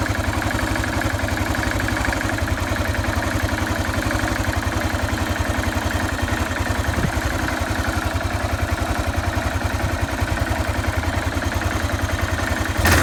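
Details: Yamaha XT 600 43F single-cylinder engine, cold idle: steady thumping about three to four beats a second with loose mechanical clatter; engine noise at cold idle, source not pinned down.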